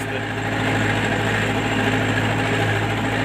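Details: MTZ-82 tractor diesel at idle with a hard, sharp metallic knock running through it, worst at idle: a broken valve fragment was hammering on the piston.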